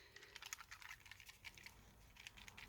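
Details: New GHD Gold Classic hair straightener (replacement unit): quick bursts of light high-pitched clicking when shaken, something loose rattling inside; older GHD stylers don't rattle; owner considers it faulty.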